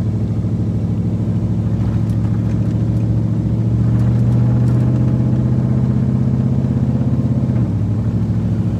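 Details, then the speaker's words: Nissan Titan running again and drivable, idling after repair, though a part still needs replacing; the driver's side isn't noisy like the passenger side was. Even, smooth idle with a steady low hum that settles slightly lower, no knocks or rattles; normal idle. "And this side ain't making all that noise like the passenger side was. But this sucker is drivable again. I can kill it and it'll start."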